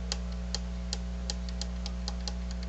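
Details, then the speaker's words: HR-J693U VCR power supply: faint irregular ticks about three a second over a steady low hum, cycling slower over time instead of powering up; owner suspects a bad power supply capacitor. "It seems to improve with time. Like it it does seem to cycle uh at a slower and slower rate. Maybe at some point it's going to power up. This sounds like a bad power. This this sounds like a bad power supply cap"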